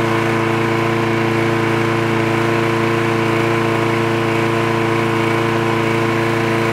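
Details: Trash-picked free Craftsman push lawn mower with automatic choke, running after the spark plug wire was reconnected: a steady buzzing drone with an even pulse and no misses or surging; it runs smooth and healthy.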